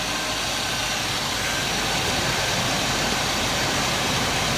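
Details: 2000 Chevy K2500 with 5.7 Vortec CSI engine after a no-start repair, with distributor timing set to zero: steady, even idle with no misses or knocks, just a smooth hum and slight hiss. Normal idle.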